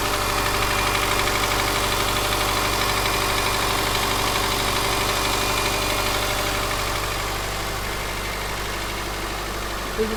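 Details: Subaru Forester SG5, EJ203 SOHC 140 hp naturally aspirated, cold start at idle: regular light knock about three per second, heard more from the left or center from the front, fading after 3–4 minutes and inaudible when warm under throttle; cause unknown.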